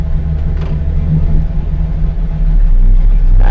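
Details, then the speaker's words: LS V8 truck after cam swap, shifted into Drive. Intake air advance and torque management are pulling ignition timing. Idle loads up and lopes unevenly, heavy low rumble, no mechanical knock: rough idle from timing retard. "all of a sudden you can see our intake air advance is pulling some timing and our torque management in advance is pulling a bunch here"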